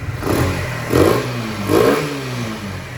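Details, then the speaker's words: 2024 Kawasaki Z125 Pro at 229 miles, running after a no-start fix, check engine light now off: three quick throttle blips rise and fall cleanly from a steady idle with no misses; the engine runs healthy. "I got the bike running. So, here's the first time I've ever heard it. Sounds actually really good."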